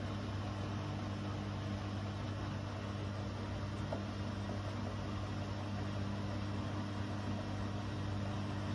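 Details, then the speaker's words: Bosch Serie 4 washing machine, 4 months old, 30-minute quick wash, spin after first pump-out, recorded a couple of feet away; fairly fast but not full 1400 spin, smooth steady hum and whir, no knocking. "and we're only a couple of feet away from the machine and it's not this isn't a full 1400 spanish but it is fairly fast spin"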